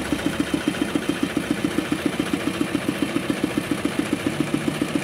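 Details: Kubota RD65DIS single-cylinder diesel loaded by a clay grinder after cylinder head reinstall with timing checked: combustion good, steady beat near 87 per minute with a slight rough rattle on each firing from worn engine gears.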